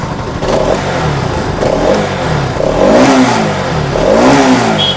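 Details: Bajaj NS 200 BS6 after coil replaced to fix battery charging problem: single engine blipped up and down several times, revs rising and falling cleanly with no knocks; charging reads 13+ V, rectifier good.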